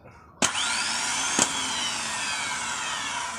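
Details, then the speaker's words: Starter removed from a Hino Victor 500 ten-wheel truck (260 engine), bench test: snaps on, whines up and settles into a steady whir with no grinding. It spins normally; a weak spring or a lever not returning is suspected for the clacking after starting. "นี้ไดมันปกติเสียงไดปกติอยู่ครับพี่น้องหาสาเหตุบ่มันพ้ออยู่เพราะว่าหลังจากเฮาสตาร์ทแล้วมันดังแคกๆนำก้นนันาบ่รู้ว่าเสียงหยัง"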